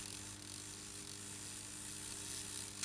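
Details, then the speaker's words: Airfix GWR 14xx 0-4-2 tank model locomotive after rebuild, lubrication and a replacement chassis (faulty diecast chassis had grinding gears), powered at 4-5 volts: soft, even motor whirr, no catching or grinding; working. "and in the opposite direction bit GE but uh it's working working indeed"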